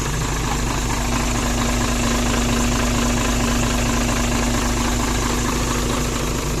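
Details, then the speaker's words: Hino Mega 500 J08C diesel idling after valve clearance adjustment (the valves were too loose before): steady, even idle with a constant low hum and no top-end ticking; the valvetrain sounds quiet and healthy. "หายเลยไปหายหายเงียบกริบเลยก็วัดกันที่ผลงานนะฮะเงียบกริบครับพี่น้อง"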